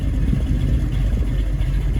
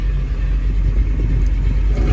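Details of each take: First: 1967 Mustang Fastback 428 Cobra Jet V8, cammed, warm after a 1-1.5 hour cruise: deep uneven rumble with slight lope at fast idle; idle possibly set a hair high, lope would be clearer about 100 rpm lower. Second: 1967 Mustang Fastback 428 Cobra Jet V8, cammed, 7-blade clutch fan and Griffin radiator, no overheating: deep steady low rumble with even, slightly lumpy beat, no knocks or ticks; healthy idle.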